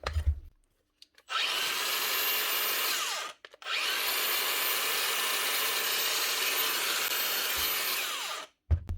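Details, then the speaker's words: Makita cordless tool after both worn bearings (including a 629) were replaced: two steady, high-pitched, even whirring runs that spin down cleanly, with no rub or rattle. It sounds like new after the repair. "much better two new bearings we piece of paper it sounds like new again"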